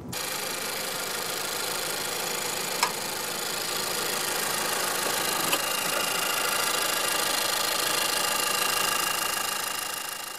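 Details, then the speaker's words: Honda Freed gasoline model, L15D 1.5L port-injected engine, at low speed; smooth, even hum without the ticking or clicking of direct injection, healthy quiet running. "In that sense, this Port Injection setup feels... normal. Just right. It's just honest. No weirdness whatsoever. Nothing irritating."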